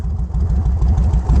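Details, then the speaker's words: Yamaha Road Star 1700 Silverado V-twin after the shop raised the idle to cure dying at idle: deep, even idle at about six steady pulses a second with no stumbling; idle now healthy. "running a little bit better now as you can tell sounds good runs good"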